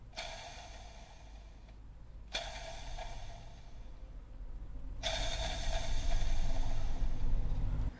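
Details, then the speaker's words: Nissan G35/350Z clutch release (throw-out) bearing spun by hand on the transmission gives gritty, ringing whirs instead of a smooth spin; worn, needs replacing during Exedy stage one clutch and flywheel install. "You can hear it's making noise when it's spinning, which indicates this bearing needs to be replaced."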